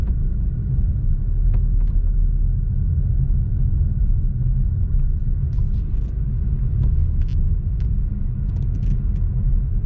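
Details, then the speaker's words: 2013 Dodge Challenger driven over a very bumpy road after replacing the clunking sway bar links with new greased ones: steady low road rumble with only faint light taps, no front-end clunks; suspension quiet. "let's just ride the shoulder and listen nope no more clunking so those swi links were the problem"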